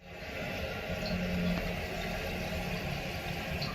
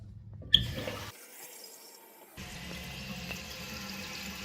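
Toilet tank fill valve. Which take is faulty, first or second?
first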